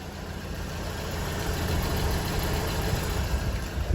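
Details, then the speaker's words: Flooded 2003 BMW E46 318i sedan, unstarted for six months, idling after a first-crack start: low, even rumble at a steady idle with no knocking or misfire; running fine, normal idle. "that's her running can you believe it this thing hasn't been started in six months"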